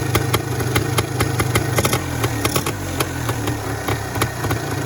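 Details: Yamaha DT MX 400 two-stroke: sharp, crackly pops about four or five a second over a low burble; an even idle, engine in fairly good condition.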